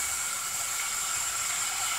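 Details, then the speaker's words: Truck with hot no-start, air test, driver's valve cover off: steady even hiss of escaping air with a faint high whistle; number 8 injector O-ring leaks; a passenger-side leak is also suspected, unconfirmed. "we got a little bit blowing out over there though kind of concerns me we might have something on the passenger side as well"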